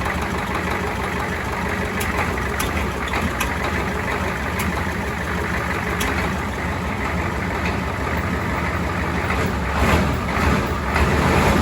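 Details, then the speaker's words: Ford 7.3 IDI diesel, first run after a Banks turbo install with new oil lines: steady, even diesel clatter at a settled idle, no knocks, no oil leaking seen; normal idle. "sounds pretty good yeah i'm pretty happy with that sounds good i don't see any oil leaking"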